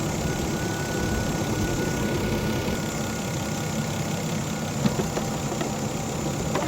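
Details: 2011 Volvo XC60 idling just after a light tune-up with new Bosch spark plugs and the coils refitted. A smooth, steady low idle with no misses or stumbles; the engine runs evenly and sounds healthy.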